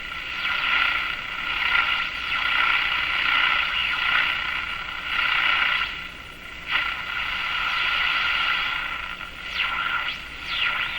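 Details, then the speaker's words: Electrohome Cosmic tube radio after replacing the remaining mica capacitors: a hissy swishing whoosh rises and falls as the dial sweeps through a station, with the highs selected either side of centre. Swooshing noise when tuning off-station. "and then as you move out you select the highs again so you get a sound"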